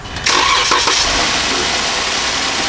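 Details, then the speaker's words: Flood-damaged 2014 Jeep Wrangler, started up: steady even idle with a clean hiss, the squeak gone; a bad idler or tensioner pulley with noisy bearings is blamed. "Look at that. The squeak is gone. So we got a idler or a tensioner that's bad."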